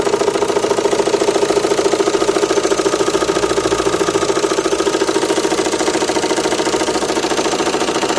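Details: Renault Megane 2 1.9 dCi diesel: steady, even knock about 140 a minute at idle that disappears when revs rise, with slight vibration, otherwise fine; source unknown.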